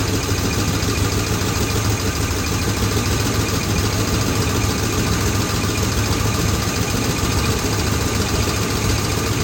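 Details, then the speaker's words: Chevy squarebody 4x4 just fitted with new intake manifold, valve covers and Quadrajet, distributor moved one tooth, mixture screws at 1.5 turns: rough idle with dead miss on one cylinder and metallic clanking, suspected inside the new valve covers; not present before. "Well, it runs, but it's got a dead miss. I can hear something clanking over here. Maybe it's something inside the valve cover."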